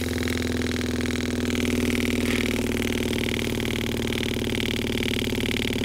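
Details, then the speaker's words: 12-volt campervan water pump (Seaflo from AliExpress vs original Shurflo compared) running through a pressure accumulator; steady loud buzzing hum with fast pulsing drone, no knocks or grinding; not strong but very audible, especially mounted on plywood panelling: normal pump noise. "он работает не очень сильно но его очень здорово слышно он если вот тишина если вы отдыхаете где-то на природе у вас кто-то спит в машине"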